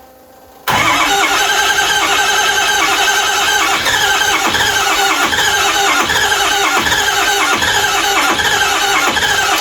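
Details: 2005 Ford 6.0 Powerstroke diesel sat about 10 years, glow plugs cycled: engine cranks steadily with a loud constant high squeal over the cranking but doesn't catch; squeal source unclear, fuel pump suspected to sound bad.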